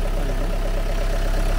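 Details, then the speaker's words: Used Opel after restart, earlier ticking (suspected hydraulic lifter, long standing) gone: deep, steady idle with soft even pulse and no ticking on top; engine now running well, normal idle. "Teď jde dobře ten motor. Nešel dobře."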